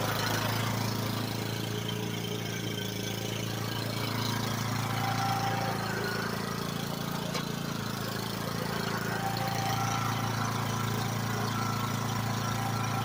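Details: Kohler Courage single-cylinder 15–22 HP engine after a tune-up with new air filter, prefilter, oil, oil filter, fuel filter and spark plug and a cleaned carburetor; runs at a steady even beat with no misses or knocks; healthy and settled.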